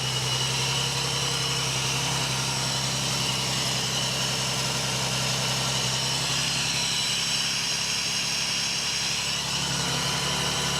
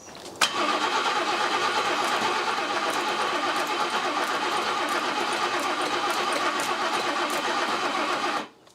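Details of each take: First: 1979 BMW E12 520 barn find, gravity-fed fuel from the ceiling: smooth, steady idle with an even low hum, no misses or knocks, some smoke or condensation. Normal idle. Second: 1979 BMW E12 520 barn find, first start in 30 years on its own fuel supply, rear up on ramps: about eight seconds of steady cranking, no firing. No fuel reaching the carburettor; owner suspects the raised rear is the cause.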